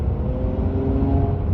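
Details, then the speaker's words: 2015 Honda Accord V6 6-speed after a J37 throttle body upgrade on the retained J35 intake manifold with adapter, accelerating on iPhone mic: deep steady drone with smooth intake whoosh under load, pulls hard, runs healthy. "So, I mean, it pulls hard. It sounds a little bit different. You're probably not gonna be able to pick it up on the iPhone microphone, but it definitely has a different intake sound."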